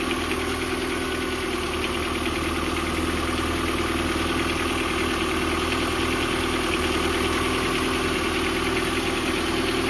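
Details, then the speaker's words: Nissan D21 pickup, cold engine at idle: light steady tick about twice a second from the top end; owner suspects a lifter or rocker arm. "Oh yeah, I think it's definitely a lifter arm. It's coming from like right over here."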